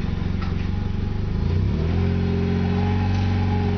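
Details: Mazda RX-8 with brand new rotary motor, full header-back exhaust and downpipe, once warm: uneven, lumpy idle that pulses up and down, also rough when cold; code thrown but unread, Mazda suggests computer or exhaust.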